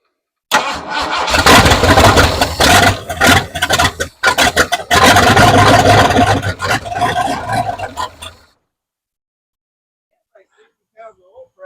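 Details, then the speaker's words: 1968 Ford F100, sat over 5 years, with a Holley carburetor and temporary boat fuel tank; idle set too low; repeated cranking bursts, catching briefly then dying; owner doubts the fuel pump is pumping; no-start from fuel starvation. "Running out of fuel already. Fire it up. Fire it up. Fire it up. Is it getting fuel? I don't think that pump's pumping anything."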